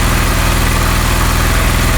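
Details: Honda CD 70 during carburetor mixture adjustment; steady, even single-cylinder putter at fast idle, no misses or knocks; mixture screw set at peak idle speed. Normal idle.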